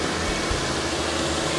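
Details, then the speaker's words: 2014 Nissan Frontier at idle just after its 70,000-mile serpentine belt was replaced with a new one: a steady, even hum with no ticks, squeal or chirp. The engine and new belt sound normal. "All right. Yep. Everything looks good. Sounds good."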